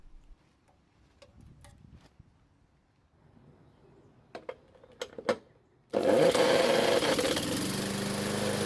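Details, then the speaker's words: Craftsman mower small engine test-run on the bench, fuel fed by bottle, started with a drill: after clinking, catches and settles into steady even buzz; runs normally after no-start repair. "so fortunately the engine started and ran and even though I could have left it running for another minute I don't typically make it a habit to do test runs on the table for obvious safety reasons"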